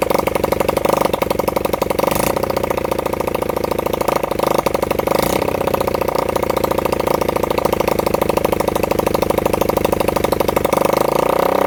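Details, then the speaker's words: Honda CB100N single-cylinder motorcycle after over 20 years off the road, jump-started from a weak battery; fast putter at idle with uneven beats and occasional stumbles. Rough running; the owner says the carburettor was in a bad state. "But like I said, I've had it running, not running perfect, but I've had it barking off. The carburetor was in a bad state, but if now it runs, I'd rather just use this engine."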